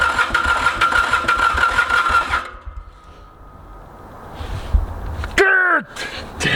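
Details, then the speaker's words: Mitsubishi K3D diesel in Ransomes Bobcat mower, unstarted 9 years, glow plugs jumpered ~15 seconds: starter grind with uneven chuffing then silence, never catches; owner suspects low compression, earlier suspected too much fuel; crank no-start. "I'm getting a little suspicious that we don't have enough compression here but even without compression it shouldn't run run like crap but it should run"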